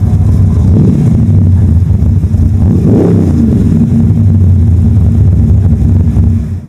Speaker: If your car’s engine vibrates just like this one, you’ve likely got a misfire in one or more cylinders.